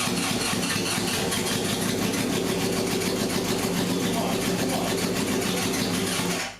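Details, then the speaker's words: 1978 Honda CB750K barn-find four, long stored, first start on choke: uneven stumbling exhaust beat, timing suspected; cylinder 2 not firing, plug uncharred, poor plug-wire connector. "Feels like the timing's off. That's what it sounds like, but maybe I'm wrong. I guess this is take 3. It turns out cylinder 2 wasn't firing."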